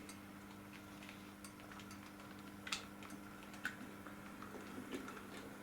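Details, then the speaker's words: Model railway loco creeping over a previously clunking kink after the bend was modified and fishplates aligned, also run backwards: low, even motor hum with faint light ticks and no clunk at the joint; running smoothly. "no clunking it can go backwards just give you a bit of sound"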